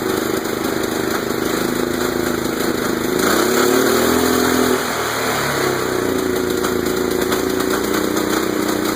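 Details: Murray lawn tractor with a Kohler CV15S engine, run again after sitting 7 years: small single rattles along steadily, then above half throttle an uneven, stumbling note; possibly knocking or backfiring, cause unclear.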